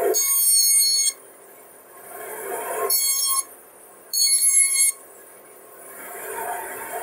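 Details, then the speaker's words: Old basement bandsaw, used 31 years, sat outside in the cold, first start-up with safety blade cover on: shrill squeal in roughly one-second bursts over the running saw, blade hitting somewhere on top. "still not hitting so let's start it on [Applause] hitting somewhere on top here"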